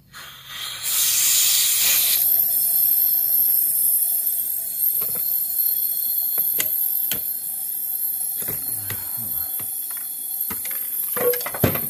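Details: 2009 Toyota Corolla 1.8L, P0304 cylinder 4 misfire, engine off, cylinder pressurized with shop air: steady hiss of escaping air with few clicks; air leaking into the neighboring cylinder.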